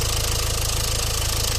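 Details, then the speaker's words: Renault Clio Estate 1.5 dCi, before hydrogen decarbonising: steady diesel idle with an intermittent light injector clatter; no warning lights or stored faults, so a mechanical injector problem is suspected, unconfirmed. "alors qu'on a entendu qu'un petit claquement injectant donc si c'est un problème mécanique de l'injecteur effectivement on n'aura pas forcément de voyants"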